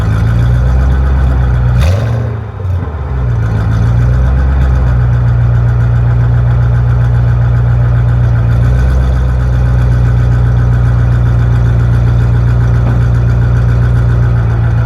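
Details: Mustang GT V8 idling with a quick throttle blip, just after a Mac Prochamber was installed at a muffler shop: a rapid puffing; suspected exhaust leak, not confirmed.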